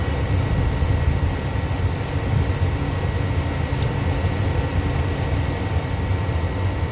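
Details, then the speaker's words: 70,000 BTU upflow Lennox furnace, no-heat call, doors off: only the inducer's steady rushing hum, no flame or burner ignition; fault code shows pressure switch failed to close or reopen. "Right now, just my inducer is running. No flame."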